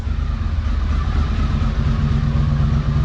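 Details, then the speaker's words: 1982 Honda CX500 Turbo after 25 years dormant, new fuel pump and cleaned injectors; steady even low rumble with smooth firing beat, no knocks or rattles; normal running. "We got a running turbo, folks. Turbo Thursday will never be the same."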